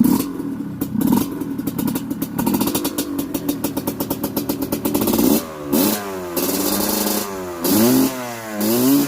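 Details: Honda CRF150L trail bike fitted with a Kawasaki Ninja two-stroke engine, started by kickstart, fan running as soon as ignition is on: crisp two-stroke popping at idle, then clean revs rising and falling with throttle blips; normal running.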